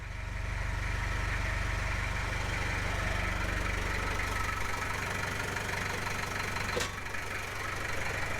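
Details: 1995 Gehl 5625SX skid loader diesel after replacing the glow plug relay to cure hard starting: steady, even idle with a regular chug about four times a second and no stumbling; sounds healthy.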